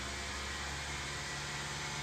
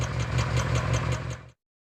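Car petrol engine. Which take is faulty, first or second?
second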